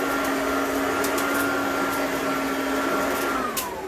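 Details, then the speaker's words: Riccar/Simplicity Supralight commercial upright vacuum on setting 1, the hardwood setting with bristles off: strong, steady motor whine at an even pitch; this is the normal sound. "So this is what the vacuum's supposed to sound like on level 1."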